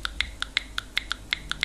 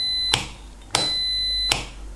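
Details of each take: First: Frequency-driven (not voltage-driven) buzzer, marked with + and −, fed plain DC from a battery: only sharp, thin ticks about five or six a second and no steady tone. It needs a frequency signal to sound. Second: Frequency-driven buzzer fed by the small output frequency of an ESR meter: steady high-pitched tone near 4 kHz with a few sharp contact clicks. The buzzer works correctly on frequency drive.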